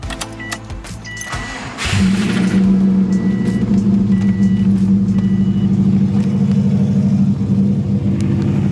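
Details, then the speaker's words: Subaru WRX that lost power and shut off on the freeway, restarted on a new battery: engine idles with a steady regular knock, rod knock confirmed by a shop; owner also considered the timing tensioner pulley. "so we're not sure could be a rod nog could be a lot of different things it could possibly be the the timing tensioner pulley"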